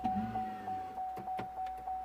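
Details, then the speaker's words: 2010 Vauxhall/Opel Meriva B with key on: short motor whir from the door locks, then sharp relay clicks over a steady pulsing warning tone; locking-system warning light and BCM code B2524-59, rear door lock fault. "So there is definitely something wrong with the locks. There is a noise coming from there, a relay clicking there, which is kind of normal, obviously, when the locks actuate, I guess."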